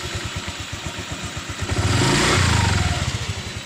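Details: Honda Vario 125 LED scooter after CVT repair, engine revved: clean, smooth rise from low to mid revs with no rattle or grinding from the belt drive, earlier harsh CVT noise and power loss gone; normal CVT operation.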